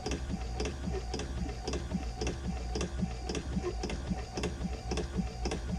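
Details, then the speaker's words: Vacuflush toilet after duckbill valve replacement, holding tank filled: steady pulsing pump with a regular tick nearly twice a second and even hum; plenty of pressure, water goes through, clicking means first tank emptied and it is now building pressure normally. "plenty of pressure you can hear the water going through and then we hear clicking like that that's pretty much the water is empty out of that first holding tank so now what it's doing is building pressure in the tank"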